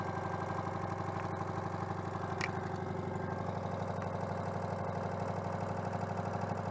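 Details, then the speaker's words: Citroën 2CV AZLP6 flat-twin with new centrifugal clutch, cleaner residue still leaking: unsteady lumpy idle with occasional stumble; owner attributes uneven running to disconnected crankcase breather. "bon niveau fluide j'en sais rien parce qu'en fait il restait encore du nettoyant donc ça commence à couler ah bah c'est pour ça aussi que ça tourne pas rond"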